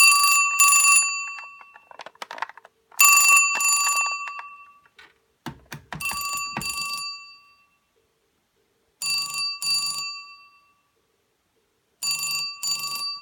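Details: 1974 Western Electric Bell System rotary Trimline desk telephone, ringer switched to quiet setting: shrill double rings every few seconds with clicks from handling the switch; bell rings cleanly, normal.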